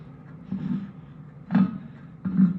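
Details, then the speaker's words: Kuhn 4101 rake gearbox during rebuild, cleaned and not yet greased, turned by hand: dry gritty rumbling of gears meshing without grease, plus rumbling from the spacer/plate underneath. It otherwise turns fairly nicely. "can hear the gears because there's no grease in it at the moment, but it seems to all turn fairly nicely."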